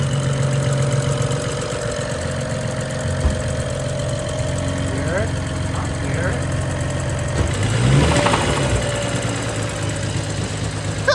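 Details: BMW 135i N55 after street racing, reassembled: a steady metallic knocking of three or four a second over the idle that doesn't fade, with metal in the oil filter; rod knock from a spun rod bearing.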